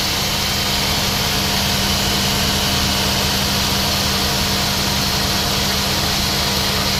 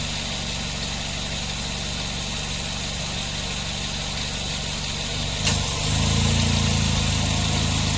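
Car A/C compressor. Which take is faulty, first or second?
first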